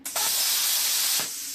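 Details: Plasma cutter on a small machine running an upgraded P90 torch with the smaller consumable tip fitted: the arc catches at once into a steady, even high hiss with no spitting or popping. Normal, clean plasma arc start.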